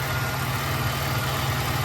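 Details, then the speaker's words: Supercharged GM 3800 swap with check engine light, not yet tuned: low, throbbing idle with an uneven, lumpy beat and multiple misfires; owner suspects it needs a tune or possibly a module, cause unconfirmed. "last time we had that issue with the module but that was going to car with started we have multiple Mis fires so I don't know what that is"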